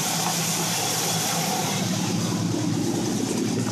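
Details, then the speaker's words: Chevy Nova with timing reading 50 degrees on the timing tape; it stalls before timing can be brought down to 12 degrees: steady heavy idle with a lumpy, uneven undertone, running rough. "so it's actually right now at 50 and it does sound rough"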